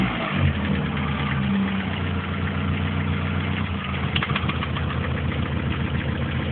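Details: Opel Tigra engine problem: low steady idle drone, then a rev blip brings a rougher rattly edge; abnormal engine noise, cause unclear.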